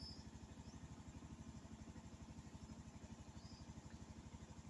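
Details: Honda Zoomer X scooter, started with the left brake held: quick, even putter at steady idle, no misses or stumbles. Idle stop system shuts the engine off at red lights by design.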